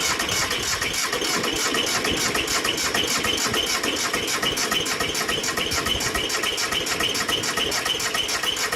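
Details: Bolens G174 diesel tractor, worn out with unknown hours, cold start attempt at about 90°F: steady chugging, about 3.5 beats a second, never catching; glow plugs, air filter, fuel, starter and battery checked, compression low at 325/395 psi, rebuild planned.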